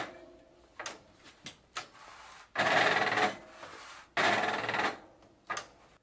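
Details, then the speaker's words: Early-90s Gazelle roadster bicycle front drum brake, weeks after cleaning and adjusting: harsh rasping groans and skipping judder near stopping, worse than ever, cause unknown. "so it's a couple of weeks later but unfortunately the break hasn't really improved in fact as you can hear the bloody noise is back worse than ever"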